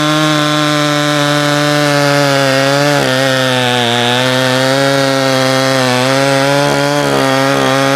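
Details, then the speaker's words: Jonsered 525 chainsaw after carburetor tune, low screw around 1¼–1½ turns: holds a high steady buzz but dips and stumbles around three and seven seconds; running unevenly. Owner suspects poor tuning, carburetor or switch; not confirmed. "it is doing this weird thing where it's stumbling and stuff uh let's just fire it up and see"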